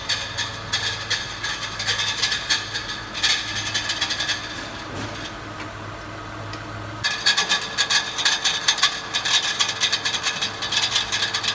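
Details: 2014 Mitsubishi Pajero Sport: fast, irregular metallic rattling/grinding under the hood at startup that rises with rpm and briefly disappears. One of six torque converter-to-flywheel bolts had backed out and was striking the spinning flywheel inside the housing; its thread was damaged.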